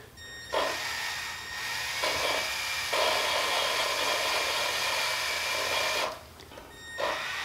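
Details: 2.4 L Ecotec cylinder head off engine, valve job after bent valves: drill-driven lapping with compound, hissy gritty grinding in bursts with faint whine; normal sound of valves being lapped into seats.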